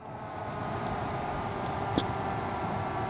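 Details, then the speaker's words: Alienware Aurora R5 power supply fan after trimming its metal grille: steady, even rushing hiss with no rattle or ticking; fan spins fast but normally, slightly quieter than before the trim. "it's a it's a little quieter not a whole much quieter but definitely it did make a little bit offense"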